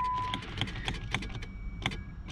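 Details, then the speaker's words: 2006 Jeep Grand Cherokee bought at auction as a no-start: key turned gives a scatter of sharp relay clicks and no starter motor or cranking; no-crank fault, starter relay circuit being checked, cause not yet confirmed. "put the key in here and you get absolutely nothing all right Tim Park so I can hear the relays clicking"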